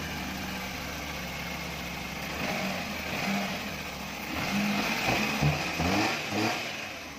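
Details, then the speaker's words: Maruti 800 after replacing the faulty MAP sensor to cure a starting problem; starts smoothly, steady even idle climbing cleanly through quick revs and settling back without misses or stumbles: normal idle and rev. "तो car काफी smoothly start हो गई है।"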